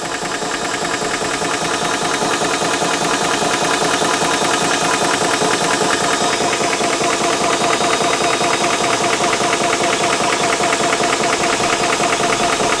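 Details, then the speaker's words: Ballistic 12V 3-stage 350 W PCP compressor filling a rifle, around 2500 psi, temperature rising; fast even pump chatter holding steady as pressure builds, no knocks or grinding; running normally. "Other thing to mention as well is you obviously can hear the noise coming from the compressor, so be prepared for a little bit of a little bit of noise while filling up your gun, but once everything is full, then the fun starts."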